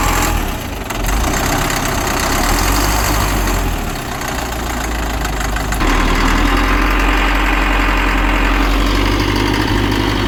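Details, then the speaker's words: Cat 950 loader diesel, run after sitting about 15 years, water drained from fuel, old filter with water separator refitted, new 24V batteries. Low, steady even idle clatter that settles after a short rev; normal idle. "This loader has been sitting for about 15 years. Had to drain the water out of the fuel. To get it running."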